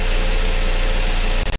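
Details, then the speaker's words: Toyota Tacoma 2.7L i4 4x4 (2005–2015 generation) after spark plug replacement: steady, even, smooth low-rumble idle with no misses or knocks; engine runs normally. "okay I start the car now let's listen to the engine everything seems to be running normally we can call this job well done"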